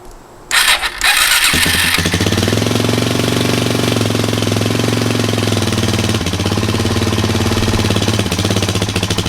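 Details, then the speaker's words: 2003 Kawasaki KFX400 quad after 6–8 months of storage, start after carburetor cleaning and reinstallation: cranks briefly, catches after about 1.5 s, settles into steady, even single-cylinder idle with a quick throttle blip; normal. "All right, let's start it up here. All right, let's fire it up."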